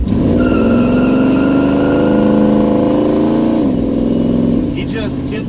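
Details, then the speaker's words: 1971 Chevy C10 after new torque converter (3000 vs 4000 stall) and tightened driveshaft, accelerating from a stop: note climbs smoothly and immediately, no hesitation or flare; earlier one-second lag gone, pulling normally. "There's no lag. I used to give it gas. There's, like I said, a second delay, and then it would just start melting the tires."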